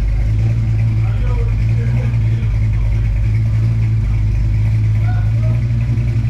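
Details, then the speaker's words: V8 after cam work and carbon cleanup, warmed up: deep steady idle with even rumble and no ticking or clatter; earlier valvetrain chatter gone, normal idle. "we got rid of all of our valve train noise everything seems to be good the cam sounds good"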